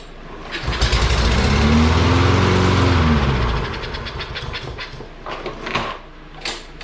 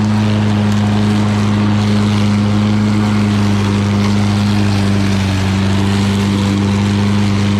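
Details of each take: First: Free Lawn-Boy mower with Kohler engine that cut out while mowing runs about three seconds on starting fluid, then sputters and dies; fuel tank full, so fuel delivery fault, carburetor removed next. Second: Lawn Boy all-wheel-drive mower with Kohler engine, cutting and bagging grass: steady, even drone holding pitch with no misses, knocks or surging; normal running under load.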